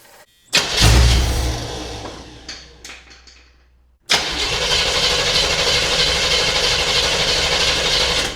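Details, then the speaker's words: 1975 Chevy Monza 2+2 with 350 small-block V8 swap, sat about 20 years: short rough burst that fades, then cranking resumes; fires on sprayed brake cleaner but not on fuel, won't stay running. "It appears to be firing on the brake cleaner, but not on the fuel. So where I left off last night, I could get this thing to fire up. It just wouldn't stay running."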